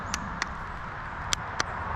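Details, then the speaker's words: TRS Xtrack trials bike at about 200 hours: four sharp starter relay clicks with no crank, though it starts with the bars turned right. A main power lead is suspected broken inside its jacket from steering flex, after an earlier charge wire broke the same way. "you can hear the starter relay clicking in there but nothing happens."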